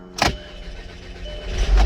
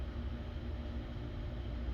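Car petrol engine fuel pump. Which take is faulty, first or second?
second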